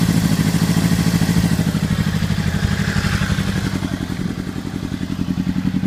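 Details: Honda CBR600RR idling lumpy and uneven with chuffs dropping out of rhythm; one cylinder misfiring, identified by its header, and the engine wants to stall and dies.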